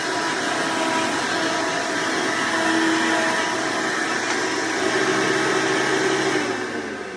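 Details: Hoover Decade Soft & Light Elite vacuum owned since May 2024, after replacing the 7-bladed fan impeller with a 20-bladed upgrade and greasing motor bearings: steady even high-pitched rush, no rattles or pulsing; noise mostly reduced but still a bit loud, running normally.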